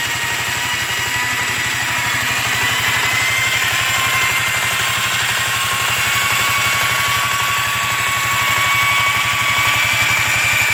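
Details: Yamaha Riva 125 XC scooter after a new starter clutch, relined rear clutch and buffed bell housing: a thin whining hiss over a fast pulse that worsens with throttle. The owner suspects the variator needs new weights. Unidentified noise.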